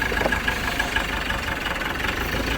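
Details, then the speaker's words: Ford Ranger T6 diesel at about 300,000 km with no power, a loud engine and heavy smoke, and no response when revved. Rough idle with a quick, uneven knocking patter over the clatter: a worn engine knock with heavy blow-by. "สำหรับอาการนี้เครื่องดังนะครับฟังเสียงเครื่องดังฟันควันเต็มเลย"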